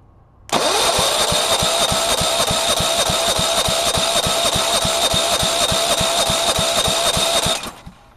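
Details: Go-kart lawn mower engine, oil freshly changed, kill switch unhooked: even starter cranking at about 3.5 turns a second for seven seconds never catches; cranks but won't start, cause unconfirmed.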